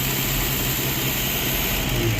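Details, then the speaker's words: Datsun roadster with EFI at idle: slowly uncapping the port where the idle control valve fits simulates the valve as a controlled vacuum leak, and the low steady hum rises in pitch as extra air enters, so idle speed climbs. "so here the car's running and I'm slowly uncapping this and you can hear that the idle is"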